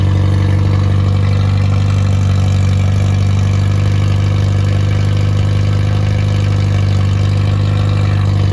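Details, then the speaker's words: Rebuilt Triumph Spitfire 1300 (1296cc) engine on the stand: new pistons, bearings, 270 cam, shaved head, about 8.5:1 compression, balanced, 75 psi oil pressure: smooth, deep, even drone, no knocks or ticks; healthy. "I'm gonna start it up and and let it run for a minute I'll speed it up to about twenty five hundred and three thousand RPMs after a while"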